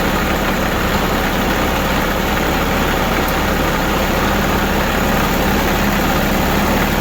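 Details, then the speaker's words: New Holland Boomer TC25D diesel tractor after fuel filter install and bleeding air from the fuel system: steady, even idle with a smooth low rumble and no misses, surges or knocks. "That's it. Sounds pretty good."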